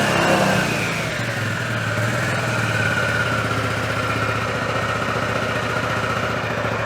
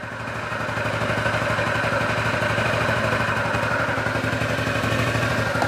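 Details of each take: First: 2003 Honda Metropolitan 2 moped, previously non-running, after throttle cable slack adjustment: after a rev the pitch sinks slowly over a couple of seconds before settling into a steady putter. Slow return to idle, cause suspected, not confirmed. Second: 2003 Honda Metropolitan 2 scooter, previously non-running, after throttle cable adjustment: steady, even putter at a quick idle about four beats a second without stumbling; idles fine, though throttle returns to idle slower than desired.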